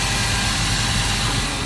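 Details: 1987 Dodge Power Ram 50 4x4, 2.6L Mitsubishi carbureted, 100,000 miles, warmed up: fan clutch fully disengaged, settled to low idle around 800 rpm. Even idle with a smooth low rumble and no fan roar; normal.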